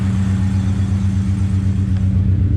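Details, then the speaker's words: LS1 V8-swapped GU Patrol after rear main seal repair and gearbox refit, cold start: deep, steady rumble at a fast cold idle, even firing with no ticks, knocks or exhaust puffing; purrs like a kitten, sounds healthy. "Beautiful, purrs like a kitten."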